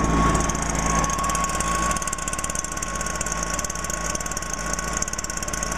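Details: 2009 Stihl BR420 backpack blower, 57.2cc pure two-stroke, no primer (choke start, floods easily), running normally: steady buzzy drone with even firing, no sputter or surging.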